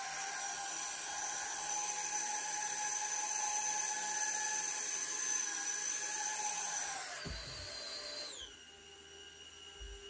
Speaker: 자 이렇게 뒤집어지지 않고 드론이 낮은 고도에서 일단 정상적으로 뜨면은 세팅이 정 으로 된 겁니다